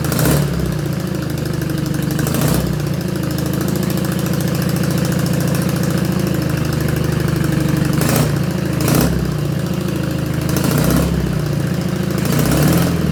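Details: BMW R80 boxer twin custom build, first fire-up after the ignition and new wiring were done: steady, even twin-cylinder idle with a few crisp throttle blips that rise and settle cleanly; normal idle, sounds amazing.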